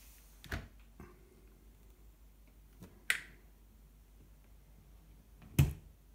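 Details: New KitchenAid dishwasher makes sharp, irregular snaps and clicks as the door is opened, with no motor running.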